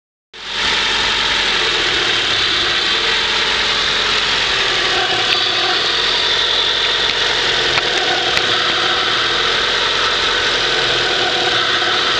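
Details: Honda CRX idling with a loud, constant, unchanging hiss over the engine; vacuum leak, owner suspects the idle air control valve (IACV).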